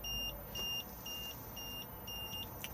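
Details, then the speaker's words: Swift Escape 664 motorhome fridge on 12 V setting with engine off: repeating high beep about two per second with red warning triangle, warning of no 12-volt supply since 12 V works only while engine runs. "This will only work whilst the engine is running, so if I press it at the moment, we will get the red warning triangle and the beeping sound to indicate that something is"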